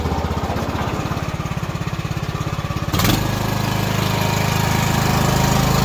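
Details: Craftsman T2400 lawn tractor test drive after drive belt replacement: steady single-cylinder chug with even firing pulses, smoothing and rising slightly as it's loaded; engine and drive healthy.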